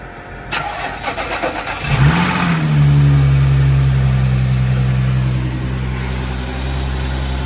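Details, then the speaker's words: Salvage Audi S4 at Copart, first start, belly pan missing, steering defect code showing: brief crank, quick flare, then smooth, even idle; engine sounds healthy, normal start and idle. "car sounds good so far this is really on here this is really stiff so that confirms that engine sounds healthy"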